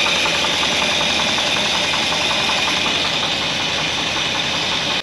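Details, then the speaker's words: 1964 Buick Electra 225, fire-damaged, running after revival: light quick tapping steadily through idle under a hissy background, good oil pressure; top-end tick, cause unknown. "well we've definitely got some noise although we have really good oil pressure everything seemed to be okay there is just a a little bit of a tapy tap"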